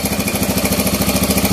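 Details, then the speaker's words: Kawasaki Bajaj CT100 single-cylinder at idle before repair, noisy engine: fast regular metallic rattle about fourteen beats a second, steady; mechanic suspects loose, worn timing chain, later replaced. "Palitan natin ng timing chain kasi medyo maingay yung kanyang makina."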